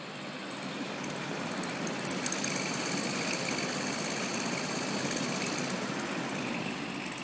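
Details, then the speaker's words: Stand fan with long-running dry bearing: uneven rapid ticking and rattling, three to four a second, faint high squeak over fan hum; likely lubrication issue, possible wear or rubbing damage suspected; fan being replaced. "Oh man, that sounds bad. Of course, it's probably not really all that good for it when it's sitting like that."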